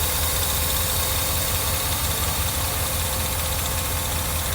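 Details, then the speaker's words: 1982 Mercedes 380SL V8 first start and idle after a new timing chain tensioner (pre-oiled) replaced a bad one; smooth, quiet, even low rumble with no tapping or chain rattle; good oil pressure; normal idle. "that's the best that sounded yet bad timing chain tensioner I think it sounds pretty good she's quiet"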